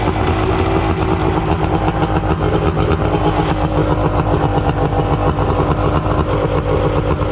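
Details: Suzuki DT65 outboard, non-runner with backfire history, just started: loud, steady idle with uneven, lumpy beat, spitting water; rough idle, owner unsure of cause, adjusting idle screw.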